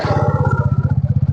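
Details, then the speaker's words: New TVS XL100 moped kick-started: catches immediately and settles into an even putter, starting and idling cleanly; normal kick start and idle. "ಆಯ್ತು. Kicker ಹೊಡೆದು on ಮಾಡಿದ್ದೆ, ಅದು on ಆಯ್ತು. ಹೊಸ ಗಾಡಿ ಅಲ್ವಾ, on ಆಗಲೇಬೇಕು."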